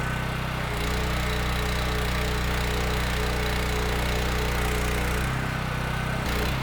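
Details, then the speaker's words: Mi-T-M 4000 PSI, 4 GPM gas pressure washer, gun valve open, thermal relief valve leaking. Steady, even engine drone with the pump pulling water, no misses or knocks. Runs healthy under load; the pump was expected to stutter but didn't. "Oh yeah. Hey, man, I tell you what, I'm fairly impressed with that. That worked out. I expected to find something else wrong here."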